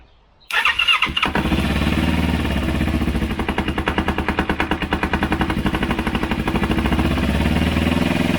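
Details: Multi-cylinder motorcycle on first start after a second carburetor cleaning with a home-made cleaner (cables not yet fitted; it previously died on quick throttle): catches after a brief crank, even idle, clean throttle blips, no stumbling; normal start and revving.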